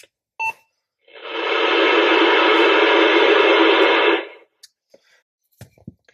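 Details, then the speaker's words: CB radio newly installed in a work truck and tested inside the shop. A short beep, then about three seconds of loud hissing static cutting off sharply; the owner suspects the building causes it and plans to test outdoors. "That's not real happy making that sound. So I'm going to take it outside and see if that's just because I'm in my bunker known as my shop."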